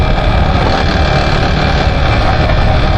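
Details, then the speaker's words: Motorcycle engine suddenly became very noisy on a ride: heavy, rough low rumble dominates a steady idle with no change in speed; clearly louder than it should be, cause not yet known. "आवाज कर रही है भाई बहुत ही ज्यादा है है और यहां से अच्छी नहीं है"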